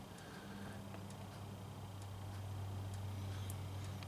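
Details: Honda Civic D16Y7 non-VTEC, 10W-30 oil, after extreme overheating: light regular knock about three to four a second at idle, before adding Lucas Oil Stabilizer; teardown later found all rod bearings shrunk, mild rod knock.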